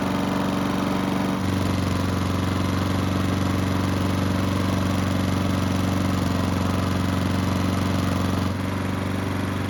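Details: Honda lawn mower after carburettor work to fix surging, hot after several minutes of running: holds a steady, even note with no hunting or rising and falling speed; surging fixed, though the engine was lightly smoking.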